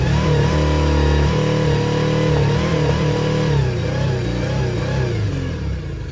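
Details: Yamaha T50TLRD 50 hp outboard after head decking and a new head gasket restored compression, revving up and down with an uneven, stumbling beat; one cylinder keeps dropping out.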